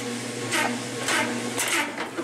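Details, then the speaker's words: 1996 Maytag Dependable Care Plus washer on the delicate cycle washing a blanket: uneven heavy thumps about every half second as the load rocks against the tub sides during the spin, then it trips off balance; off-balance spin. "you can hear a rocking against the sides"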